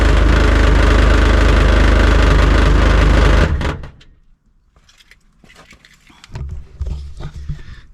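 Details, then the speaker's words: 2001 Jeep Cherokee, about 183,000 miles, rusty possibly original muffler, after Muffler Weld paste cured 18 hours on the blown seam: loud, deep raspy rumble with chuffing pulses at idle, then shutoff; repair failed, exhaust still leaking. "well that was a pretty quick experiment and uh we got some pretty quick results the muffler weld did not work on the seam of the muffler so I guess that means we need a new muffler fun"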